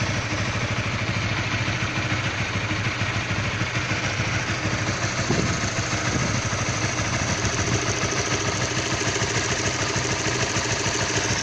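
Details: Stock Honda All New CB150R at cold idle: rough, irregular tapping clatter over the exhaust beat, knock-like noise when cold; source unclear.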